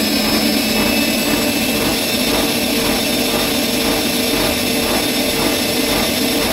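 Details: Bosch Maxx 6 washing machine after motor bearing replacement, drum bearings still good; high-speed spin with a loud rushing whine pulsing about once a second; drum still loud at high speed, concluded the drum is faulty.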